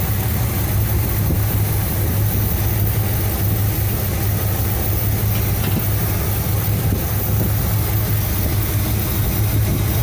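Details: 1975 Cadillac Fleetwood V8 idling about 5 minutes during valve cover gasket replacement, being checked for oil reaching the top end (it does). Steady, even low rumble with no knocks or ticks; normal idle.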